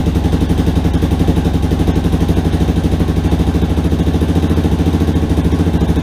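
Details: Rebuilt Yamaha Warrior quad, cleaned carburetor, idle screw two turns in, first start before break-in: steady even single-cylinder idle, no ticking or knocking; normal idle, idle still needs adjusting.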